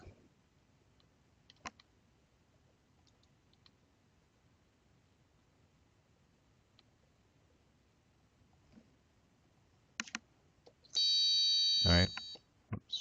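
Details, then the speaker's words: Buzzer circuit with four buttons read on one analog pin: after widening the code's value range (reading sat near 9, at the edge of the range), the earlier ticking and fluttering are gone and the buzzer holds a clean, steady high tone. "so now notice that I don't hear that I don't hear that ticking now uh noise um it was kind of fluttering a little bit because it was on the borderline of the range that we have"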